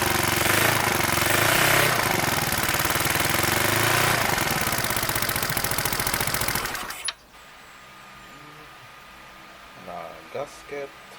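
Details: Yamaha Mio Sporty 63mm scooter exhaust at fast idle: loud, raspy chuffing pulses about four a second with a sharp edge from an exhaust leak between muffler and exhaust pipe.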